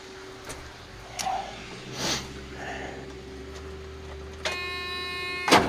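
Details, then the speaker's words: 1994 Freightliner Classic with a Caterpillar 3406B after sitting for years, starter ground lug just fixed: a few clicks, a buzz and one hard clunk with no cranking; the engine is locked up and the timing advance is missing. "Okay, so that's not good. That to me sounds like this motor is locked up."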